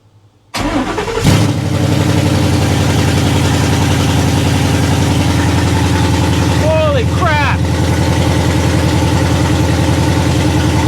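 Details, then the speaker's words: 1978 Ford F100 with Coyote V8 and 6R80 swap, first start with open headers: brief crank, catches instantly, loud fast even idle with no misses or knocks, then idles down; fuel trims read very lean. Normal cold start with fast idle. "I'll be back once it idles down. All right, as you can hear, it has idled down."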